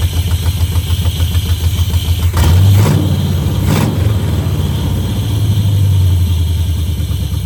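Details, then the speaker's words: 1971 Chevrolet Camaro Z/28 barn find V8, long-stored, first start with a little gas: low, slightly uneven loping idle with a brief blip; still not running perfectly, later needed a carburetor kit and timing set. "That's still not running perfect, but at least it runs."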